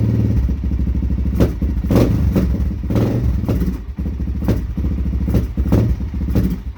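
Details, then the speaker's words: Suzuki LTZ400 quad, first start in over a year, cold, choked, no coolant: single-cylinder idles roughly, pops and backfires, stumbling and trying to die whenever throttle is given; cold engine or CDI box suspected, not confirmed. "as you can tell it's obvious because it's cold or that city eye box doing that but try to give it throttle it just dies wants to die backfires"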